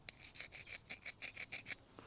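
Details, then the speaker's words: Vevor chainsaw after running on fuel with no mix oil, overheated: about ten dry, harsh rasps as it is pulled over without firing, piston scored and chipped, so compression bleeds down its sides. "So that's what happens when these things get too hot. See, these are cooled by that oil in the gas. You can kind of hear it."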